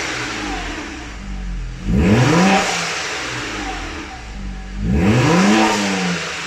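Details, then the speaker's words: Turbocharged car fitted with the correct blow-off valve spring: two sharp revs, each followed by a clean hiss as the throttle shuts; boost now dumps through the blow-off valve rather than back into the intake. "so you can just give it a good here and you can already hear that it's actually dumping through the blow-off help and no longer the intakes"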